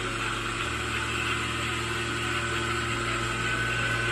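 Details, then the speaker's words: One-tonne separator after repair and balancing (shaft replaced on one unit): steady even hum with constant high whirr, no wobble, knocking or rumble; running smoothly and in balance. "Mana ishlayapti, yurib ketgandi."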